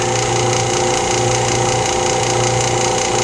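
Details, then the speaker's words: Lathe vacuum chuck pump running during segmented bowl turning; gauge shows not a lot of vacuum but probably okay. Constant even motor hum with steady whirr, no surging or knocking; running normally. "so i'm only using this for alignment purposes turn my vacuum on closed my gauge see how much vacuum i've actually got"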